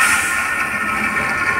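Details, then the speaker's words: Fiat Palio with frayed accessory belt: steady high-pitched whirring squeal over the engine, worse at high revs, from a blown accessory belt idler pulley bearing; pulley to be replaced. "o barulho que ele tá fazendo ó isso aqui em alta é um inferno cara esse barulho aqui ó"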